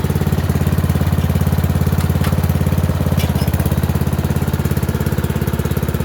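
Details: Murray Select 30-inch riding mower on a driveway test drive: an even single-cylinder thump of about three and a half beats a second with no misses or knocks. It runs okay and a bit better; owner notes carburetor and gas tank issues.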